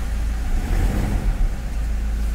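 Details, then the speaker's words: Toyota Fortuner after repair: fault traced to the cylinder 3 injector wiring, whose wires were swapped and caused knocking, white smoke, misfire, hard starting and the check light. No trouble codes now; the engine revs freely and cleanly with no stumble or cut-out. Normal revving. "अब हम गाड़ी को start करते हैं पुरी तरह से race हो रहा है ये देखिए"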